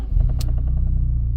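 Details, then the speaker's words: 1992 VW Mk3 Golf with a crank/no-start issue, just started after replacing the ignition starter switch behind the key barrel: engine catches promptly and settles into a steady, even low rumble with regular firing pulses; starts and runs normally. "runs and starts turns off runs and starts as well so that's even better at least we know it's working before we start building everything back up"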